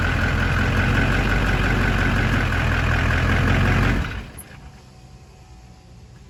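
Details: 2004.5 LLY diesel: steady starter cranking for about four seconds that never fires; crank no start.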